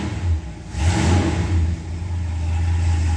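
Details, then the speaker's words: 1968 Ford XL convertible V8 after replacing warped exhaust manifold to cure exhaust leak: deep steady rumble swelling with revs then settling smooth, no ticking or puffing, no leaks; normal running. "wow it has never sounded like this since I've owned this car eight eight nine years"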